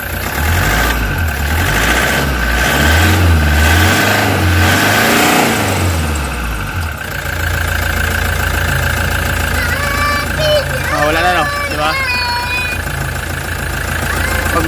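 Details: Toyota Hiace common-rail diesel after EGR fault repair (codes P0400/P0406): a few throttle blips, then a steady, even idle with no shake or stumble; vibration is gone, though the check engine light returns.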